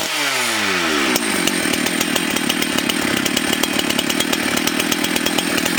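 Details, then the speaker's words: Husqvarna 272XP two-stroke chainsaw running again after repair. It screams at high revs with a ragged, uneven top-end note and stammers: the carburetor high-speed mixture needs tuning. "stammers a little bit on the top end because it needs to be tuned in but I"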